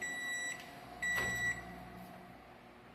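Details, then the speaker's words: Microwave after repair of rusted, oxidized cavity metal sanded and painted: quiet even hum with clean beeps, no crackling or arcing, heating water normally. "aí ó esquentando normal a fumaça aí ó água quente funcionando tudo perfeitamente"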